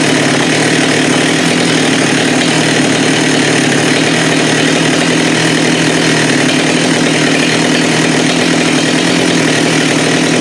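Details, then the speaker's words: Husqvarna 394 chainsaw with HyWay 58 mm big-bore pop-up cylinder (395 build), cold day, aftermarket carb fitted: steady high-pitched full-throttle scream, no surging; 12,100 rpm no load, about 1,500-2,000 rpm gain. "Well, I think that proves that it was the carb. We got the 12.1. So that's a 2,000 RPM increase."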